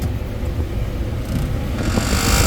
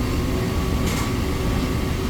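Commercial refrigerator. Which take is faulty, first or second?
first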